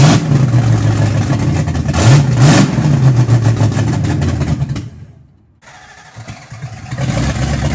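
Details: Car "Betsy" first running after three and a half years off the road, new starter, camshaft just broken in, idle timing set, carb still being tuned: engine catches, revs unevenly, sags almost to nothing then picks up; rough running, owner suspects vacuum leak.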